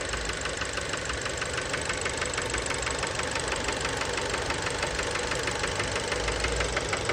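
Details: Fiat Bravo 2, 1.4 T-Jet 150 HP, 215,000 km, recently serviced, recorded close to the engine at idle: sharp, regular knocking about three times a second. Worn connecting-rod bearings knocking; cause unknown, car scrapped.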